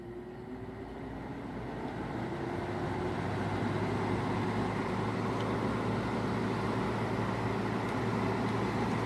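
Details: Older General Electric 5,150 BTU window air conditioner with an LG compressor (rebranded GoldStar), blower on low fan: a steady airy whoosh with a low, even hum that builds slightly as the fan comes up to speed. The fan runs normally.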